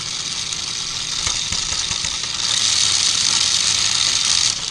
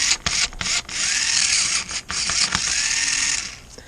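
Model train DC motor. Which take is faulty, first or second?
first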